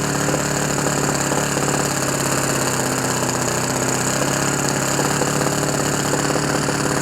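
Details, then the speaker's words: Repaired OS FS 91 Surpass 15 cc four-stroke methanol model engine (epoxy-welded exhaust, new crankcase cover, carb body, ring, bearings, O-rings), first start for break-in on what is probably a Graupner 14x7 prop: fast, steady buzz with a burbling edge. Needle set very rich on purpose. Some vibration, normal for a four-stroke. "Et le voilà. Il a pris vie. Bon, il est très riche."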